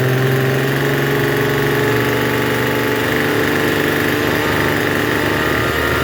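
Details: Troy-Bilt TB272V two-stroke leaf blower after turning the single-D half-moon carburetor mixture screw out about one and a half turns: buzzes fast and steady with no drop to a slow tick-over; runs but idles a little high.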